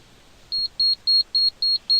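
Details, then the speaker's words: Gas conversion ECU diagnosis, switch self-test: six short, even high-pitched beeps about a quarter second apart while all switch LEDs blink. The gas switch buzzer is working normally. "you will see that the all the lead of the switch are blinking and it is also beeping okay so you have to see that the all lead are blinking and that the buzzer is playing the sound"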